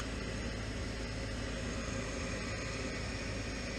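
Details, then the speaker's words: Furnace inducer motor on a no-heat call, running after the control-board contacts were taped to hold them closed (suspected solder fault on the board): steady even whir with a constant low hum, no rattles or stalls; inducer normal. "There she goes. so far the furnace is running alright. I'm pretty much confident that the unit is gonna hold"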